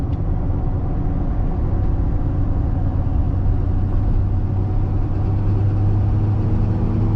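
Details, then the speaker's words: Truck on 33x12.50 AMP Terrain Attack mud tires, 22x14 wheels, cruising about 50 mph downhill with windows up: low steady rumble, not loud; normal tire road noise. "you guys can hear there's some you know whining noise or or tire noise i don't know what you would call that it's really not bad though"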